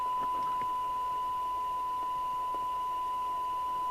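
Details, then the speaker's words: Commtron CB40F CB27/81 UK FM CB radio (Maxon built, December 1981) after re-alignment, signal-generator squelch test: steady hiss cuts in cleanly at the set threshold with no chatter, a touch harsh on top; normal squelch operation. "so squal works fine it's just at the top end a little harsher than I would like but that's how it is"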